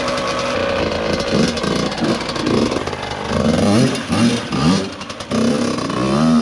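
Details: Yamaha YZ85 two-stroke after gear selector repair, fresh water and premium oil added: crisp blips rising and falling cleanly with the throttle, no misses or rattles; engine revs freely and sounds healthy.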